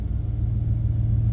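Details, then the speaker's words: GMT400 truck with TBI: deep rumble with an uneven, wavering beat, almost stalling and no power when put in gear; owner suspects a dying fuel pump and possibly something binding in the transmission, not confirmed. "you put it in gear and almost stalling now oh this is bad no power"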